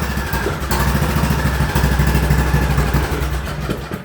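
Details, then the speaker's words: Craftsman YTS3000 riding mower at idle: a small single-cylinder chugging with an uneven beat and an occasional hiccup or stumble. The owner dislikes it and plans to replace the carburetor. "that hiccup is what I don't like that's why there's a carburetor coming"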